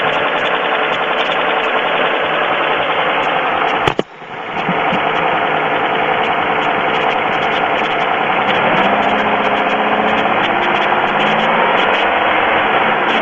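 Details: Pontiac 3.4L GM V6 at idle, oil level full: fast, steady knock about four per second over engine hum; owner asks if it's piston slap, noise later stops completely. Cause unconfirmed.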